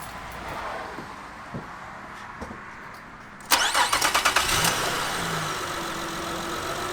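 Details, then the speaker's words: 2006 Saturn Vue V6 after replacing all six spark plugs and reconnecting the battery: quiet hum, engine catches at once and settles into a smooth, steady idle; normal start. "there we go fired right up means we hooked it all up right"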